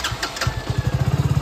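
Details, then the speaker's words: BS6 motorcycle after fixing key/ignition starting problem: short starter whirr on self-start, then engine catches and settles into quick, even beats about fifteen per second; clean electric start. "এই যে self মারলাম, এই start হয়ে গেল।"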